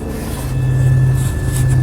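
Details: 1999 Pontiac Grand Prix just after in-trunk fuel pump replacement with a used junkyard pump: steady even low idle hum with no stumbles, misses or surging; runs and stays running, no leaks.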